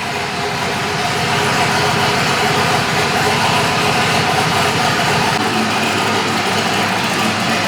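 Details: Polaris RZR Nytro with swapped Yamaha Nytro snowmobile triple engine, after sorting fuel issue: runs steadily with an even, quick beat, no misses or knocks; more sensors still to add. Normal running.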